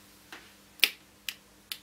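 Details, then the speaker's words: Nokia N8 phone: four crisp dry clicks as the top of the casing is pressed; the panel began clicking about a week and a half into use and doesn't seat back, seeming soft at the top. "I don't know if you can hear that clicking but it started clicking about a week and a half into our review trial of the product and it's it doesn't seem to click back in place so that's one downside that it seems to be a bit soft at the top"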